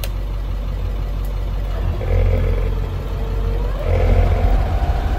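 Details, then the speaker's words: International 4700 diesel truck, PTO rewired to constant 12 V from fuse box: steady engine rumble, then the Vanair 185 rotary screw compressor cuts in with a rising hum as the PTO engages; normal engagement. "you go you hear it kick on and that's the compressor it's turning you can see over here now it's blinking that the pto is on"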